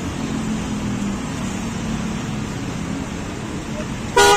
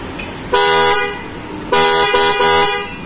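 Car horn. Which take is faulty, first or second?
second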